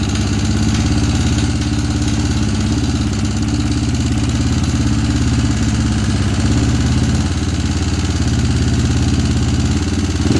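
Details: Honda CRF150 single-cylinder idle with an uneven, lumpy beat and some mechanical clatter on top; rough running, cause not evident.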